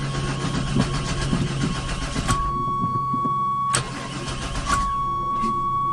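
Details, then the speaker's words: 1996 Chevy Tahoe, bought sight unseen and likely on bad old fuel, cranking with starting spray: starter churns steadily with brief firing attempts that kick back but never catch; crank no-start, cause unconfirmed. "it's stinking it's wanting to but it's not wanting to it's not happy it's far from Happy"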